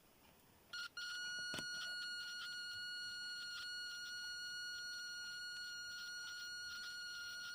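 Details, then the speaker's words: Continuity tester probing another breadboard pin via cleaned, known-good DuPont jumper cables: high beep cuts in after a crackle and short dropouts, then holds; flaky, intermittent breadboard contact. "See, it's intermittent there as well."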